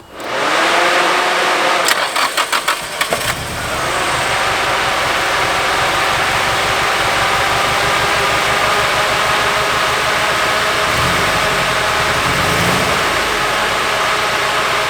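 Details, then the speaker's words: Nissan 240SX S14 Kouki SR20DET after removing upper intake manifold and swapping injectors, a broken part taped over: catches after cranking but idle shakes and stumbles with irregular beat and hissing; running worse, misfire, cause suspected, not confirmed. "Where's that line to? Huh? Where's that line to? What line? This one? I don't know, but it's running way worse"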